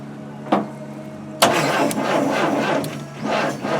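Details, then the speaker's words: '65 Oldsmobile Cutlass, carburetor fitted with an adapter-plate mixer, electric fuel pump, jumper wire to the battery: engine catches after a crank, runs quietly and evenly for a couple of seconds with no knocking, then dies. "It Like actually it does sound quiet. doesn't sound like it's knocking or nothing."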